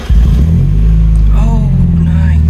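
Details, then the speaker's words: NA Miata just after an O2 sensor replacement, with the warning light still on: deep, steady, even idle rumble with no misses or knocks, idling well. "Oh, nice. Okay, it's still on there, but she's idling good, which is that's good."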